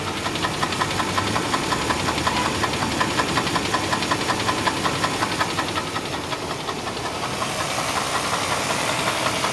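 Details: 1996 Chevrolet Blazer 4.3L V6 idling; steady knock about three per second from the oil pan after the starter housing cracked off, owner suspects damaged crank bearing, still holds oil pressure and drivable.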